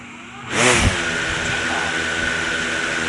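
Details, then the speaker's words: DJI Mavic Air 2 on a desk with DJI OEM propellers refitted as a control against Master Airscrew Stealth props: motors spin up with a whoosh then settle to an even steady high hum, drone hardly budges; normal. "as a control i put the dji oem propellers back on and we're going to just see how it uh how it performs"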